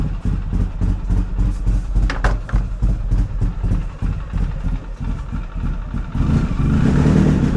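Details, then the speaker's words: Polaris Sportsman 700 started after replacing the front differential/gear case, having sat unstarted for a long time. Starts right away, idles with a firm low thump, then revs smoothly without hesitation or rattles: normal revving. "Oh, I tell you what, I never get tired of the way this thing sounds."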